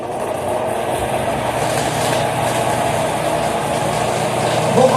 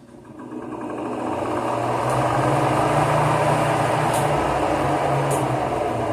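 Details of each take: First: Fan motor spinning up with an uneven rattling knock about three or four per second, a week after its bushings were replaced with bearings; the shaft is loose in the bearing bore and knocks inside it, worst at startup. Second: Fan motor reassembled after replacing bushings with bearings, which had developed a dry-bushing scraping noise a week later: spins up over two seconds to a steady even hum with no scraping or rattle; problem resolved.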